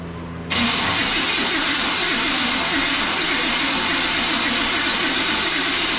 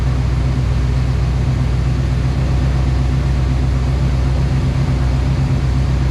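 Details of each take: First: OBS Chevrolet Silverado that sat a long time, previously ran, fuel smell present: starter grinds the engine over at a steady rhythm but it never catches; suspected failed ignition module on the coil pad. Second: OBS Chevrolet Silverado truck started after sitting a long time, after topping off a very low fluid (owner suspects it explains the leak): low, steady, even idle hum with no knocks or ticks; runs smooth and quiet, normal idle.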